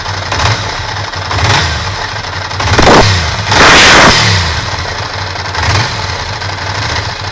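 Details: Ducati Monster V-twin idling with a few throttle blips; hard mechanical clatter rides over the beat and rises with revs; cause not confirmed; abnormal engine noise.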